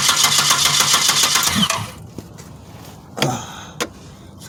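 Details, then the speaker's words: 1997 Pontiac Grand Prix GTP two-door coupe, cranked by jumping the starter, not starting: even beat of about four pulses a second, strong, even-sounding compression. "i jumped the starter and this thing has some great sounding compression so here we go"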